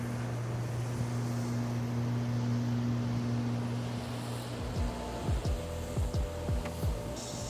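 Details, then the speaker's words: YardForce 48V electric riding lawn mower cutting grass, heard from a distance: soft steady low hum barely audible until standing next to it, no knocks or grinding; quiet, normal running. "you can clearly hear in the video that you can barely hear the mower going as I'm cutting the grass until you're staying right next to the mower and then you can hear"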